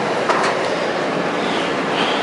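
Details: Kenmore 800 gas dryer, newly installed with gas supply hooked up, running with burner lit: steady, even, very quiet rushing roar with faint tumbling underneath, no rattles or squeals; normal running.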